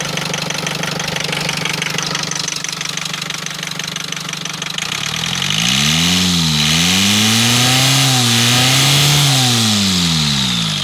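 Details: Rover diesel engine running with a steady, even knock about four times a second that rises and falls with revs; cause not stated; engine knocking noise.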